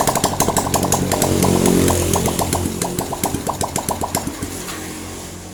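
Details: Honda Revo Absolute after reassembly of piston rings, cylinder block and head, first running with oil confirmed circulating: crisp, regular firing pulses that swell with a light blip and settle back evenly, no knock or tapping; running normally.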